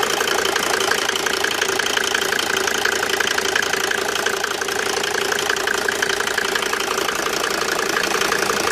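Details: Mercedes W202 with OM605 turbo diesel at idle with a sharp, regular ticking knock about three times a second; abnormal internal engine knocking, cause unknown.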